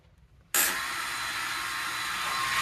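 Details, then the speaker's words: 150 bike that won't start, ignition on and pumped a few times: loud steady high hissing whir switches on abruptly with the ignition, engine never fires; cause unclear. "sound it's making. And also pump it a few times. It's just not starting up."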